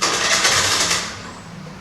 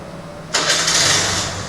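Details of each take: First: TVS Scooty Pep+ with a starting problem: engine catches briefly after each start attempt, then sags and dies as soon as the throttle is released or opened. The air filter was already cleaned; the fault is suspected in the carburetor or CDI coil, with carburetor cleaning next. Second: TVS Scooty Pep+ that previously stalled when throttle applied, now after CDI unit and new carburetor fitted: brief silence, then engine catches cleanly and settles into even, steady run, revs well, wheel spins freely. Normal start; carburetor was the fault.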